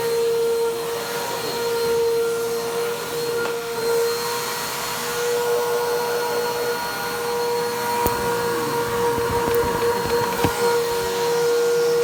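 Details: Vacuum motor, Bissell PowerTrack Compact 1808 or 2012 Hoover WindTunnel 2 Rewind UH70820, dust blowing out: steady high whine with a harsh rough edge and occasional rattly clicks; motor sounds worn and dirty, needs servicing.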